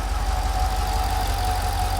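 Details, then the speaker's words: Mercedes SL55 AMG idling with the accessory belts removed: the loud noise is gone, leaving a steady smooth idle with a faint constant whine and no ticking, which points the fault to somewhere in the pulley system. "the huge noise went away"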